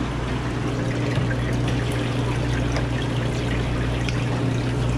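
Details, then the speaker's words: Manitowoc Indigo series ice machine not making ice (bad keypad found), during freeze cycle: water circulation pump finally kicks on, steady low hum with a soft water trickle; pump working normally. "so the water pump hasn't came on yet which probably is our next oh there it goes it's actually working"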